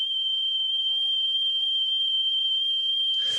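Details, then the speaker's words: Philips 22GR814 cassette deck after service, playing a test tone: a slight quick pitch warble, measured at about 0.5% flutter weighted and 1% unweighted. Owner suspects the spindles need lubrication or the motor is aging. "and you can hear the flutter a bit as soon as you go like above the 25% so this is now a 1% scale if you go higher than do 25% you will notice it"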